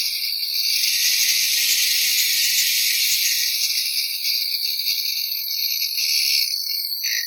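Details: DeWalt angle grinder after repair of a not-working fault, bench-tested: high, even motor whine at constant pitch, no grinding, crackling or cutting out; runs normally.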